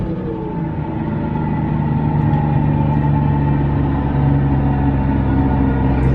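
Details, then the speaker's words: Single-turbo 370Z Nismo, 3.3 ratio rear differential, while cruising: steady droning whine at constant pitch over road rumble; whining differential due for replacement with a 350Z VLSD 3.5-ratio diff. "now just to jog you guys memory this is what a whining differential sounds like"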